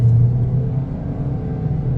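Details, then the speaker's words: 2020 Toyota Corolla with a CVT under hard acceleration: revs climb and hold in a loud, steady, low drone while the car gains little speed; typical CVT behaviour, which the owner dislikes. "see how it like the power band goes on the power goes all the way up and I am not going nowhere it makes all that noise"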